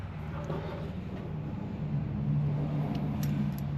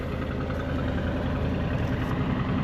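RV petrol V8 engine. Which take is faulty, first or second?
second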